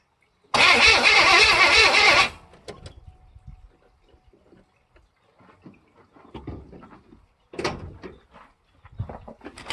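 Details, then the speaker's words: K5 Blazer squarebody budget build, first start attempt after reassembly: harsh starter churning, then it stops without firing and no fuel pump is heard. Owner suspects timing is off and also suspects the fuel pump. "right so I don't know no fuel pump but it does turn over it sounds like timings off"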